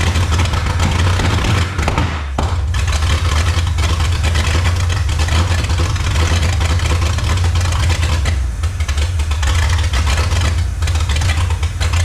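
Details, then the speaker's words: 1954 Chrysler New Yorker 331 Hemi V8, sat over 50 years in a salvage yard, first run: low uneven lumpy rough idle with dips, carburetor pouring fuel; needs carburetor rebuild and tune-up, float possibly sticking. "Well, it runs, folks. Not real happy."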